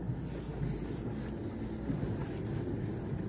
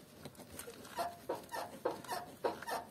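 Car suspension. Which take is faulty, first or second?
second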